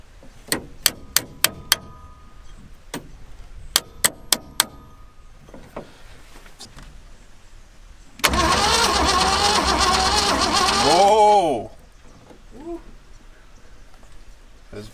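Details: Land Rover Series 1 that sat for years: the starter only clicked without turning the engine. A few light taps free it, then it whirs and spins the engine for about three seconds, cranking normally.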